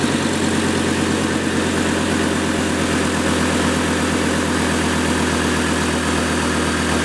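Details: 2008 Chevy Colorado 3.7L five-cylinder just after overdue spark plug replacement: smooth, even idle with a steady low hum; the tick heard before the change is gone, owner suspects the number four plug.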